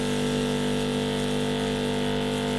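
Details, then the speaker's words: Cheap 12-volt portable car/bike power washer: steady electric pump drone with a constant buzz and no surging or rattle, and the tone changes once the water siphons through; pump running normally at full flow. "it takes a little bit to get the water up first [Music] just said siphoning through now you can hear it change"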